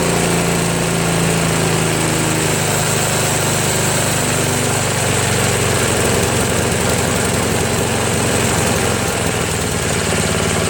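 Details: Craftsman snowblower, after a replacement gasket was fitted (not leaking) and the bottom carburetor screw was adjusted: the small engine drones along evenly with no hunting or surging; it runs smoothly.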